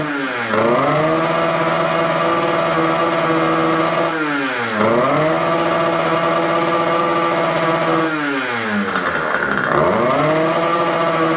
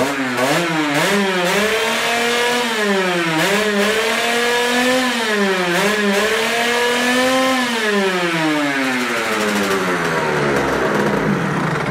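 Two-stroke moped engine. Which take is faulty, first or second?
first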